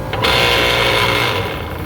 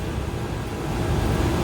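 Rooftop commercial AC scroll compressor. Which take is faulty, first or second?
first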